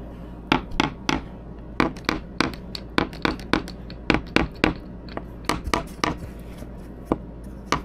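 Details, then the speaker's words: 1990 Endeavour 52 sailboat, overhead teak-core fiberglass repair filled with scrap pieces and thickened epoxy: tapping gives crisp, equally firm taps with no hollow or dull note. The bond is good and the gaps are filled, with no voids. "not bad if we're tapping from the top it's probably all going to sound the same so we got we got a pretty good bond in there we used a lot of thicken epoxy and uh so there all the gaps and everything's been filled in"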